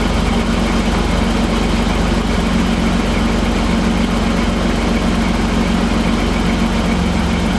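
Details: BMW E28 with M30 straight-six, after valve adjustment on a cold engine and new Bosch WR9LS spark plugs: even, quick valvetrain ticking over a steady low idle hum, no misses or knocks; idling smoothly, healthy.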